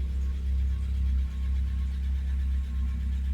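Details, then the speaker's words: 1979 Fiat just after new spark plugs, fuel pump, regulator and pump relay: steady, even low idle after start-up with a smooth, unbroken rhythm and no knocks or misses; RPMs look good, healthy idle. "Beautiful. Let's go check the pressure. RPMs look good. Sounds great."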